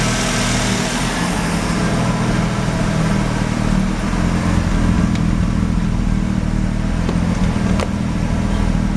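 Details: Mazda RX-7 rotary, failed annual inspection with very high CO (2.70): idle with uneven lumpy beat and occasional stumbles under low drone; misfire worst with slight throttle; no oil pressure shown, no leaks; ignition leads already measured; cause unconfirmed.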